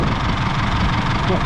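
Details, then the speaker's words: Isuzu D-Max diesel after trouble on a hill: lumpy, uneven, shaky idle as if a cylinder is missing; owner suspects a dropped injector, white smoke of unburnt fuel when revved. "She's running pretty rough. Poor thing."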